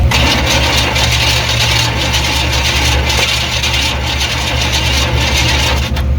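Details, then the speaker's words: 1995 Chevy C1500 Silverado work truck with swapped-in 350 TBI: steady starter cranking with even compression beats that never catch, no spark; crank-no-start traced to a missing carbon button in the distributor cap. "still nothing yeah i don't think she's firing"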